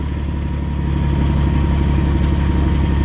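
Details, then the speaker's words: Brand-new Caterpillar 3406E diesel in a 2000 Peterbilt 379 with a Super 10 transmission, idling: a deep, steady, even rumble with smooth firing and no knocks or misses; healthy and settled. "I'm gonna fire it up and we're gonna let you hear that hear that nice Caterpillar sound brand spanking new man"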